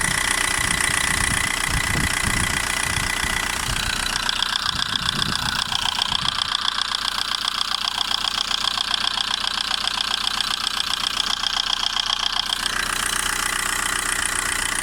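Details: VW Golf 1.9 TDI AHF 110 hp diesel at idle: steady rapid tick over the clatter from the upper engine; owner unsure whether injector or lifter noise.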